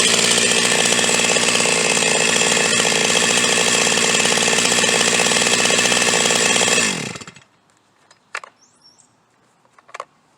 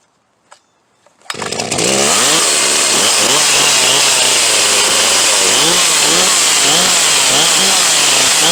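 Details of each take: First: Huztl G366 (Stihl MS361 clone) chainsaw, owner suspects plugged fuel tank vent; restarted after popping the fuel cap, it runs at a steady high rev with an even buzzing note, no surging, then cuts off cleanly and goes quiet. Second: Huztl G366 (Stihl MS361 clone) chainsaw, hot after running, keeps leaning itself out and dies coming out of the cut, won't idle well: revs hunt up and down about twice a second, screaming high and thin; lean running from plugged fuel tank vent.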